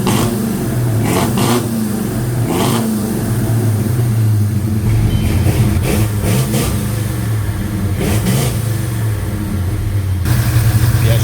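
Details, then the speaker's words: 1956 Chevy Bel Air with Chevy 307 V8, first proper run, just started: steady running with a few throttle blips; faint light valve train ticking under the exhaust, otherwise smooth and even. "Valve train is a little noisy. We'll get used to it. We'll get used to it."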